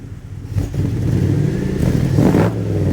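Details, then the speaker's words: 1980 Dodge W200 5.9L Magnum V8, Holley 600 carb, roughly 750–800 rpm idle, cold with thermostat not yet open, to run 99 ethanol gasoline: clean blip to strong even rev and back, no stumble; running pretty good. "we're down to about 13 at idle which is just a touch high but I'm going to be running 99 ethnol gasoline in this so it'll take a little bit more octane or a little bit more Advance she's running pretty good"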